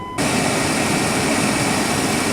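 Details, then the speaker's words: GMC Jimmy SUV first start after battery trouble: engine fires and settles into a steady, even roar with no misses, knocks or rattles; running really well. Normal engine revving. "that sounds good sounds like it's running really well"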